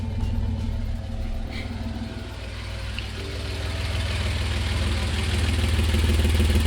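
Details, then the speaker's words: 1988 Toyota FJ62 Land Cruiser with a rusted exhaust before replacement, recorded right at the hole under the driver's seat: loud, raw, low drone with rapid puffing at idle. Exhaust leak. "well yeah so i got that basically i'm sitting right next to where the hole in the exhaust is this is right under the driver's seat and it's so loud like you have no idea how loud it is"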